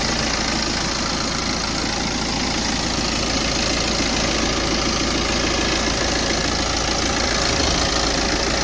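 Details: 2016 BMW 420d, B47 four-cylinder diesel, first start after fitting a swirl flap delete kit, with no dash warning lights: steady idle with even clatter and no misses or hunting; normal idle.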